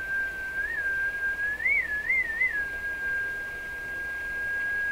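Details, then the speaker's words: Rogers 11RA651 shortwave radio, paper capacitors all replaced, fed from a signal generator: a thin whistle near two kilohertz wobbles in pitch before settling, a heterodyne showing the radio's oscillator drifting, not the generator; cause of drift not yet confirmed. "If the pitch is changing, which it is, the radio is drifting. It won't be my signal generator that's drifting."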